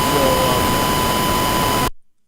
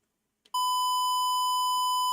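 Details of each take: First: Lekato 5.8 guitar wireless fed a test tone from Reaper at high level, before trying -10 and -50 levels: steady tone buried in harsh hiss with buzzy overtones, then abrupt cutoff; input overdriven, overload distortion. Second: Cheaper guitar wireless passing a test tone from Reaper at the same level as the others: steady 1 kHz tone with no dropouts, crackle or hiss, cleaner than the more expensive Line 6 unit; clean test tone.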